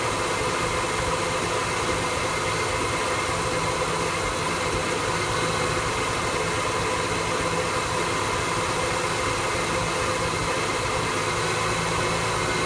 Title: 1974 f100 efi swap rough idle